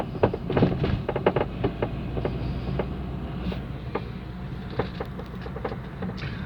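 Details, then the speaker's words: 2010 Chevrolet Astra driven on the road: sharp, irregular front-suspension clunks on even small road ripples. A loose stabilizer link was seen, and the mechanic suspects more than just the link is involved; the car is to be inspected on a lift. "É um barulho muito forte na suspensão dianteira, tá? Não precisa nem estar passando em buraco muito forte, não. Pequena ondulação já na pista, já está fazendo."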